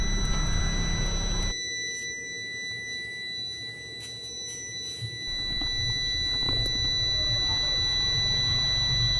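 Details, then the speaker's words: Prolink 700AC UPS, not working, plugged into mains: steady, piercing high-pitched electronic tone over quiet room noise; low-battery alarm that sounds whether switched off or on, battery likely without charge. "Plug කරගත්ත code එක battery ලෝ වැටිලා කී ගාලා සද්දයක් එනවා. Off කරත් on කරත් ඒ දේ එනවා."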